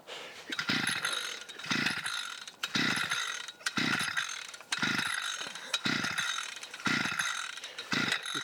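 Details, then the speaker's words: 52cc SGS strimmer after pressing the primer ten times with choke up, then choke down: repeated pull-start rasps about once a second, engine spins briefly each pull but never catches, like it wants to go; cranks but won't start, cause unknown. "see it you can hear it like it wants to go but there's nothing there for it to go"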